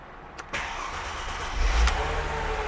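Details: 2002 Mercedes-Benz C240 after replacing blown fuse 52 (15 A swapped for 20 A) that caused no crank no start: brief starter crank, then catches and settles into steady even idle with slight rev; starts cleanly.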